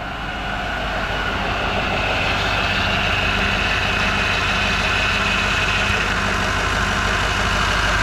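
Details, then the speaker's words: 2018 6.6 Duramax at diesel idle after turbo replacement with cab removed: steady high squeal over rumbling idle from power steering pump; fluid topped up but probably still low. "Obviously the power steering fluid's squeaking a little bit. I did top it up, but it's probably needs to be filled up"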